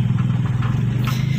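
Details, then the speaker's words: Mitsubishi L300 diesel that loses power and is limited to 60–70 km/h, on a road test in third gear around 40–50 km/h: a harsh rapid rattle over the chug under load; the rough sound is not from metal parts, and an EGR valve stuck open is blamed. "saat gigi 3 ini terjadi suara kasar ya itu dia suaranya teman-teman ya"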